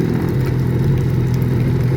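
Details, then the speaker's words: 2004 Honda F-12X turbo jet ski, about 210 hours, run after a jet pump rebuild: even, quiet, low hum; the earlier clanging from the rear is gone, and a nearby ladder is rattling. "Wow. Listen to how nice that sounds. Real quiet."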